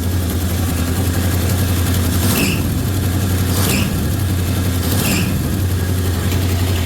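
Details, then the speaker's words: 360 Magnum engine idling fast, estimated about 2,000 RPM, charging; exhaust leaks around the headers also noted. A high chirping squeal repeats about every second and a half from the slipping drive belt, cause unknown. "I don't know why that belt's squealing I don't want to know right now sounds like it's idling at about 2,000 RPMs by my ears"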